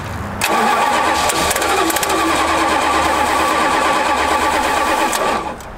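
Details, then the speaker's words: Plymouth Fury that sat for five years, cranked: starter grinds steadily about five seconds with only faint catches, never fires; spark present, flooded or out of gas unsure, suspected fuel starvation. "come on we clearly have sparked because it's tried to pop off is it flooded or is it out of gas that's the question"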